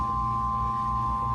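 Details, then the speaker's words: Marine Air boat air-conditioning system, seawater pump running during troubleshooting: steady, even high whine over a low hum with no surging or rattles; normal raw-water pump whine. "next thing I did was I checked my pump now my pump down here you can hear it's whining that's normal"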